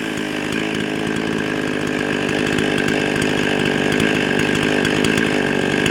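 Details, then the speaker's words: Husqvarna 55 chainsaw (18-inch bar, 3/8 chain), no decompression valve, before repair: a high, thin buzz staying flat-out at roughly 13,500 rpm and still climbing. It runs lean and fast from a carburetor gasket intake air leak, so rpm is too high. "so okay so the rpms are definitely too high"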